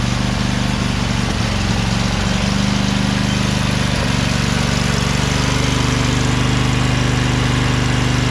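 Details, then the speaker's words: Craftsman LT2000 lawn tractor repowered with a Briggs 20HP Intek V-twin, owner suspects a blown gasket on the right cylinder. After about 10 minutes running, PTO engaged under load: steady, even low drone, no misses or knocks, no smoke. Normal running. "so it's been running for about 10 minutes there's no smoke"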